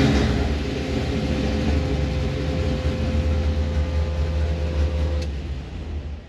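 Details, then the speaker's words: C1 Chevelle V8 after a tune check, idling at about 1,000 rpm with 16° timing. Deep, heavy rumble that is mostly even with a slight lope, much better than before; once hot it doesn't like to kick down, so idle may need adjusting. "so you can see basically at idle we got like 16° uh we're ring at about 1,000 I don't know once it gets hot it doesn't like to kick down"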